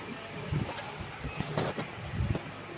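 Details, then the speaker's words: Epson L-series ink tank printer after belt replacement, with the carriage encoder strip refitted in the correct sensor position: soft scattered clunks and brief motor whirs as the head carriage homes; the printer initializes normally. "अभी printer ready हो जाएगा।"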